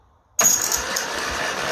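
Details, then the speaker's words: 1955 Ferguson TED 20 TVO tractor cranking during compression test (about 100, healthy): steady high thin squeal over the cranking; owner suspects the starter front bearing is screechy. "It sounds like the starter is a little bit I need to work on the front bearing of it. I think it's a little bit screechy."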